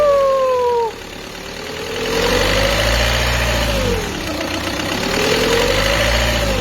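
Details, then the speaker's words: Peugeot 206 2.0 HDi 90 at idle: a clear whine that rises and falls as revs move between 1000 and 1300 rpm, caused by a timing belt over-tensioned by an auto centre, which risks premature belt failure. "voilà ce bruit là c'est tout simplement un bruit qui démontre que la croix est trop tendue"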